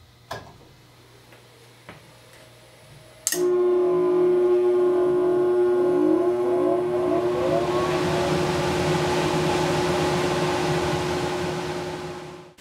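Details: Furnace/central AC blower after the run capacitor was removed, tested and reinstalled, with the door safety switch bypassed: a few quiet clicks, then the blower spins up at once to a steady, even hum with no buzz. The not-starting problem is fixed.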